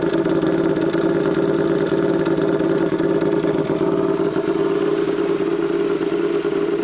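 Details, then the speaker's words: Royal Enfield twin, tuned custom build, just started and warming at idle: loud lumpy idle with occasional exhaust crackles and pops (backfires); normal warm-up. "Ouais, mais après, on est qu'au ralenti, ouais. Les retours de flamme, ils sont sympas, ouais."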